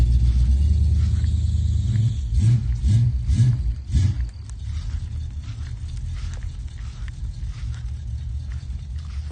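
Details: 1984 Monte Carlo V8 after the exhaust leak was fixed: deep, even rumble with a few early throttle blips, no puffing or ticking; sealed exhaust, healthy running.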